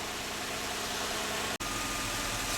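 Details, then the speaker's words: 1995-1999 Nissan Maxima V6, warmed up and in closed loop, during EGR checks for a clogged EGR tube (code P0400): steady, even idle under a light hiss, with no stumble, miss or hunting. "all right so it's running it's in a closed loop now that means it's warmed up"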